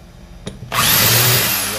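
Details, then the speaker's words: Bosch drill repaired after it stayed stuck in hammer/impact mode in every setting, tested in normal drill mode: motor spins up quickly to a smooth, steady high whine with no hammering rattle. Normal after repair. "Vamos botar para Furadeira"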